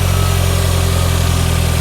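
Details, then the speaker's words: Turbo Subaru salvage car, cammed, check engine light on: a steady, fast, even idle hum with no dip or hunt, well above normal idle. Suspected boost leak from a charge pipe or damaged intercooler, unconfirmed. "She's idling way too high. Yeah, it's got a boost leak somewhere. Maybe one of the charge pipes, or maybe the intercooler's damaged."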